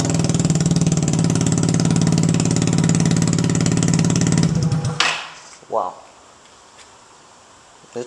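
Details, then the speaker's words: Yamaha Zuma BWs125 scooter with a Leo Vince header fitted, O2 sensor reattached, started without the muffler section: very loud, raw, rapid crackling exhaust at fast idle, then cut off; exhaust without muffler. "So like any of my exhaust installations, I'm going to fire it up without the muffler part, just to see how loud it sounds."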